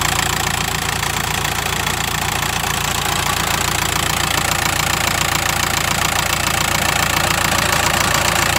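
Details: VW T5 2008 1.9 TDI diesel idling with a steady, fast metallic rattle over the engine note; cause unknown, owner asking for pointers.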